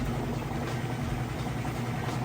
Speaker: all right just about top speed on that spin cycle again nice smooth operation sounds great